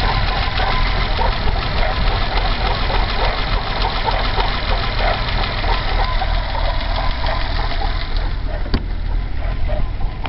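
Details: BMW E30 320i M20B20 engine, cold, after about a 100 m drive: uneven, lumpy rough idle with a faint chirpy squeak on top; not heard at startup this time, source unclear.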